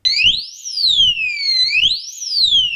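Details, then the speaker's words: Harley-Davidson Sportster 883 Iron: new anti-vibration disc lock alarm rated 110 dB is switched on and the bike shaken, giving warning beeps and then a piercing siren sweeping about every 1.5 s over rattling; the alarm works. "Lo accendo e lo scuoto, dovrebbe in teoria partire la sirena. Questo suono vuol dire che è acceso. Quel beep beep beep avverte che sta per partire l'allarme."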